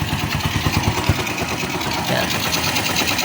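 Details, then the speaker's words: Secondhand Bajaj CT100 after replacing the piston kit, timing chain and chain guide, plus the stator (low resistance) and pulser, to cure lost compression and hard morning starts: it now starts on one click and idles with a steady, quiet single-cylinder putter and no tapping. Normal idle. "So yun mga Diaz, one click lang siya at hindi na mahirap pandarin. So goods na itong kanyang CT100 na badya. So tahimik"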